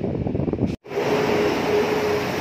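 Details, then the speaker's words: Nissan B13/LEC car with the engine running and the AC on: the compressor makes a constant rough hum with a faint steady drone. It is old, only pumps to about twenty, and the noise is a symptom it needs replacing. "ayan guys, narinig nyo yung ingay na yan. Ingay na ano yan, ingay ng compressor sa aircon natin. So yan ang sintomas ng papalitin na rin."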